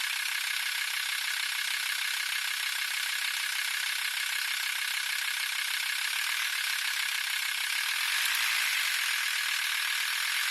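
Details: VW T4 2.5 TDI (AXL) diesel: thin, fast, steady metallic rattle at the serpentine belt area, only at 1050-1100 rpm; probably the belt tensioner pulley, not confirmed.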